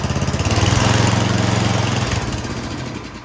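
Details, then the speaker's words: 24-inch MTD Yard Machines snowblower, carburetor just rebolted with new intake gasket, full choke: on starting fluid it catches and pulses roughly about four beats a second, then fades and dies; fuel delivery suspected. "See if a little starting fluid gives it any encouragement."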